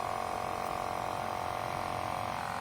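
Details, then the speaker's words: Volkswagen Passat B6 Climatronic blowing no air from vents, recirculation button pressed: constant mid-pitched electric buzz that holds then cuts off; recirculation flap actuator motor stalled, not moving, worn gears. "Buzzing like crazy. Flapper motor not moving."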